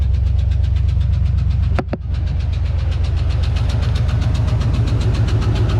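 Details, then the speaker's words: 1993 Ford Bronco just after start-up following transmission cooler line replacement: fast, light lifter ticking over a low, steady V8 idle rumble; an earlier idle issue also seemed unresolved. "you know I thought I fixed that idle issue Mary oh you guys can really hear that lifter tickin"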